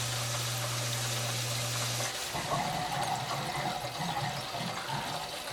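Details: Old farmhouse hydronic heating, end zone purged after frozen pipe repair and refill: steady hum gives way to gurgling, irregular bubbling and rushing water as a lot of trapped air rushes through.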